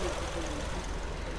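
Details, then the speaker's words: Steady low growl from the gearbox of a 2011 Suzuki Swift manual petrol, heard idling in neutral and changing with the clutch pedal; owner attributes it to a failed gearbox input shaft bearing. "You you hear the sound this growling sound coming from the gear box."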